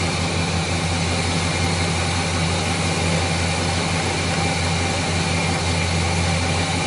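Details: Chevrolet 350 V8 after intake manifold gasket repair (gasket had failed on valley side causing oil consumption, misfire, rough idle): even, steady idle with smooth low rumble, no misfire stumble or hiss; previously misfiring cylinders now normal.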